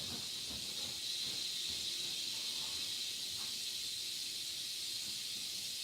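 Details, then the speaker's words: Apartment steam radiator heater just coming on: a steady, high, airy hiss of steam venting as it heats, with no knocking or banging underneath; normal operation, though annoying. "You hear that hissing? That hissing is so annoying."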